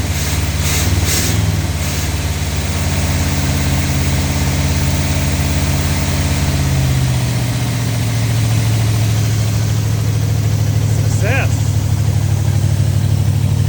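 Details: 1970 Oldsmobile Toronado 455 V8 (375 hp) after years of storage, running on battery charger with choke held: deep steady idle with slightly uneven lope, as if one cylinder weak; rough idle, later overheated.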